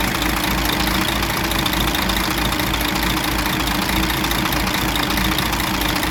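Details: DAF 105 truck diesel, 600,000 km, brought in for knocking heard through the air intake; the valve cover was removed. It now has an even, steady idle with a smooth two-per-second pulse and no valvetrain knocking or tapping, apparently after repair.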